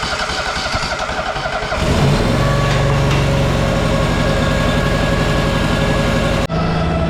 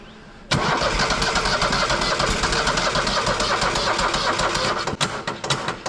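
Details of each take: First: Tuff Bilt tractor after carb chem-dip cleaning (dirty float and needle sticking, flooding) and cleaned spark plugs; fires after a few seconds of churning and settles into smooth, steady even idle; normal running. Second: Tuff Bilt tractor after carb cleaning, fouled plugs and oil change with overfilled oil drained; sluggish, uneven starter churning about four turns a second, never catches; slow cranking, battery needs charging.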